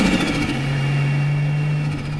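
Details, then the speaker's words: 2021 Can-Am X3 Turbo RR running without a blow-off valve: engine drone with quick fluttering chatter on throttle lift-off as air chops back through the turbo; compressor surge, said by some to wear turbo bearings over time. "It sounds cool, don't get me wrong, but some people can say that it, over time, will wear out the turbo bearings, it'll wear out the turbo in general."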